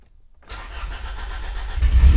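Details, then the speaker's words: 1996 Honda Civic EK hatchback with a swapped B16 engine, first start after mounting and wiring work with the fuel pump hardwired: brief silence, then the engine catches and builds quickly into a rising, even run; clean normal start. "oh yeah it started okay one more time"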